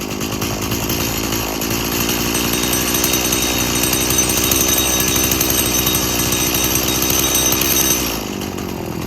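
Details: About 19-year-old boggy Stihl MS170 chainsaw that needs a lot of fuel: high rough two-stroke buzz sags and dies when sprayed, confirming an air leak; the carburetor is believed good.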